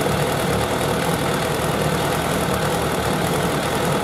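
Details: Suzuki Bandit 1200 four-carburettor naked bike at idle during carburettor synchronisation; even, steady idle with no misses or hunting, all four cylinders firing smoothly and balanced, a normal idle.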